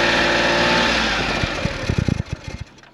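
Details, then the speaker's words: Suzuki Every kei van with CV40 carburettor and new manual pull choke, cold start after sitting overnight: catches straight away, settles into steady even idle without misfire or stumble; massive improvement, healthy start. "I would say that is a massive improvement."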